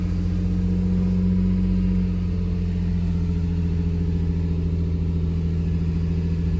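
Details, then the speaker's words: 2005 Lexus IS300 after sitting a long time, freshly started with new alternator, Denso iridium plugs, cleaned throttle body, HKS cat-back exhaust: low, deep, steady idle drifting slightly as it settles; sounds good. "been a long time so she's got a hide all she's figuring herself out got to take that off of demo mode sounds good smells good"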